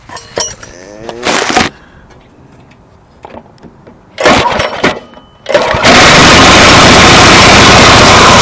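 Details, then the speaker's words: 212cc single-cylinder on X7 pocket bike, governor removed, not fully bolted down, air filter not yet mounted: after some clatter catches and holds loud, steady, even high-speed run, no miss or knock; runs pretty good. "thing runs pretty good"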